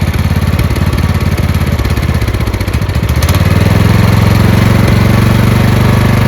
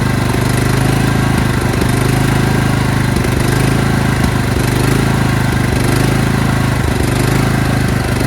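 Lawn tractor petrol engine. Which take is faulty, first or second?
second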